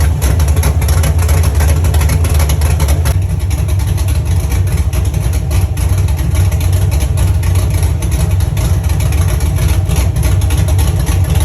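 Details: First start of a Chevy truck's cammed 5.3 V8 (Texas Speed 232/234 cam, 110 LSA) after a build and after fixing wiring ground issues: loud, lumpy, uneven idle lope that holds without stumbling; sounds good and healthy.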